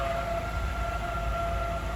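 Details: 2006 BMW 525i E60 cold start at about 30°F: loud steady high squeal, two piercing pitches held constant over the idle, after idler and tensioner pulleys were already replaced; worn A/C compressor pulley bearing, before replacement.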